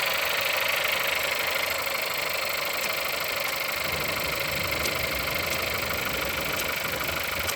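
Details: Engine at 176,000 mileage, cold start: cold idle with a light, faint, fairly even metallic tapping over the engine's steady hum; engine knock, cause unclear.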